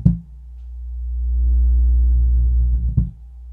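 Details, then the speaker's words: Miller & Kreisel MX-125 Series 2 subwoofer amplifier, 24+ years old, owner complaint of loud thumping; deep low drone swells and fades between sharp thumps with no input, current meter swinging near full 1.5 A scale; oscillation, filter capacitors suspected. "definitely doing a little bit of oscillation right here so let's see if we can figure out what is happening with this unit"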